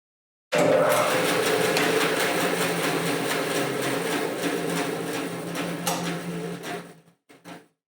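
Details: New Grizzly 0513 anniversary edition bandsaw, first power-on after setup and rewiring for the shop's 110 V outlet, blade guide locked fully down: steady low hum with light blade whir, runs evenly about six seconds, spins down cleanly; normal motor run.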